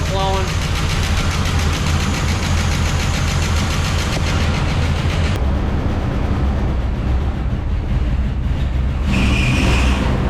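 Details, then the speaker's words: 1979 Dodge D-100 Custom 318 V8 with Thermoquad carb, first run after probably 10+ years sitting, lifters still taking oil: a deep, lumpy idle with uneven beat and unsteady speed, stalling; owner suspects vacuum leaks from brittle lines, with the mixture screw turned fully out. "well she ran she stops a little bit and uh i think i think i got a couple vacuum leaks some some of them lines"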